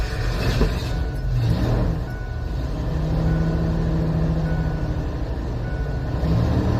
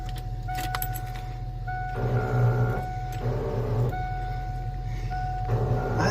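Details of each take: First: Abandoned 1988 Ford F350 dually running on a temporary fuel system after sitting for years: big engine settles into a steady low rumble with an even beat, holding speed; sounds healthy once running. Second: Abandoned 1988 Ford F350 dually, old starter, after fuel pump work: short bursts of high free-spinning whine, engine not turning; starter bendix not engaging; starter looks rusty, later new battery.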